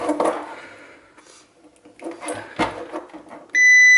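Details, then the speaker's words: Electric shower thermal cut-out tested for continuity with a multimeter, read open circuit, then dropped on the floor: steady high meter beep starts and holds as continuity returns; intermittent open thermal cut-out. "sometimes you can tap these and they come back to come back on but not this one that's why it's been replaced"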